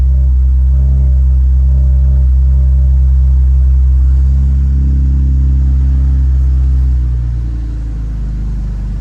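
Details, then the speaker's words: 2012 Camaro RS V6 started after a driver-side HVAC blend door replacement, with no exhaust fitted yet: a deep, loud, even, unmuffled rumble at idle, about four pulses a second. "Of course, we don't have an exhaust on this yet. We may have to just go for a drive here in a little bit."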